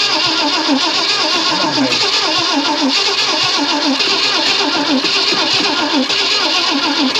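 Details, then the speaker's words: 1965 Ford Thunderbird, off the road since 1986, after condenser work gave good spark and gas was poured in: it started once, and now the starter churns unevenly but it won't restart; owner suspects a weak battery. "why'd you start once and now you won't start again damn it I think my battery's about let me go get my jump box"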